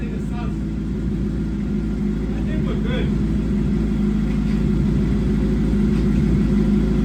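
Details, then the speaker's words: 2007 (K7) Suzuki GSXR 750 rebuild, after fixing earlier loud rattle with cam chain tensioner work: steady, even engine hum with no rattle or ticking; top end quiet, tensioner working fine. "There we go. Not hearing like a loud rattle like last time. So I think let's let it run a little bit and see if it starts making a sound."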